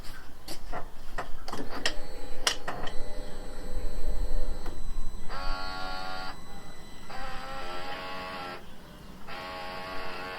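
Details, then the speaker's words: Repaired stolen/recovered car, headlight self-leveling motor tested with the light loosely mounted, ignition and lights on: clicks, then three short, even electric whirring runs; motor working normally. "Now if you listen, I'm going to turn the ignition on, turn the light on, then you'll hear the motor."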